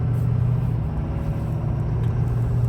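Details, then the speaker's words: Auction-bought Ford XLT diesel work truck on the road, heard from the cab with lots of engine noise: a deep, steady rumble with smooth pull and no clunks between gears. Shifts well and sounds healthy. "Thing shifts awesome. Sounds good."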